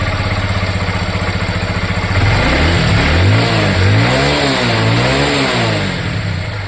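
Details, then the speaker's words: Honda Livo/Twister single-cylinder bike after engine rebuild with new crank set and bearings, foggy morning: steady even idle then smooth rising and falling revs, no knocks, ticks or rattles; zero noise. "Friend, zero noise है, zero."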